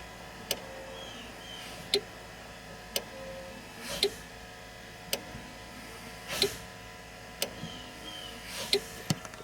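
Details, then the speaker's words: Volvo VNL truck with brake lights working only under hard pedal, heard from the cab: crisp single brake light relay clicks every second or two as the pedal is pressed, clicking at only about 4-5 psi apply pressure; the relay switches properly. "I can hear that relay over there click."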